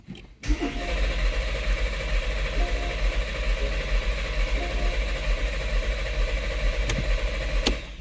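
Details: 2014 Porsche Cayenne (92A) starter churns steadily at about two pulses a second without firing; crank no start, fuel system and timing angle suspected while diagnosing, not confirmed.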